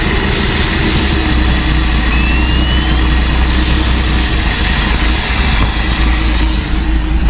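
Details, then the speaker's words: 1966 Ford F250 army highboy V8 that dies when given gas, with a loose carburetor base causing a vacuum leak: carb cleaner sprayed at the base changes the idle and a whistle is heard as it is sucked in. The fix was washers and tightening the base. "hear that change and you can actually hear it sucking the whistle you can hear it sucking that uh carburetor cleaner in through the bottom of the carburetor"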